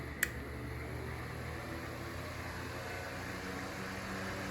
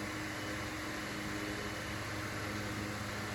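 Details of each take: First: Mainstays 9-inch high velocity fan with shaded pole motor on high speed: loud steady whoosh of air with low hum and a slight rotor rumble, much less than before, no bearing chatter; loud running with slight rotor noise. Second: Mainstays 9-inch high velocity fan with shaded pole motor on high speed: steady rushing air, low motor hum, slight rotor sound, no bearing chatter.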